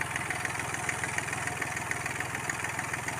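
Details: Hyundai Grand i10 diesel (2015, BS4) after engine work for a timing-chain tapping noise, air filter refitted; an even, steady idle beat of about 3.5 per second with no tapping or rattle. Normal idle.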